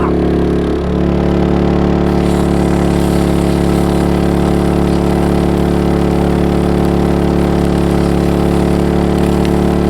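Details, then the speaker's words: MaXpeedingRods petrol generator powering about 2,200 watts of cooking appliances while camping: steady, even engine hum that gets louder and firms up under load, no misses or knocks; normal running under load. "I don't know if you can hear me though. It has got a bit louder now, it's under load."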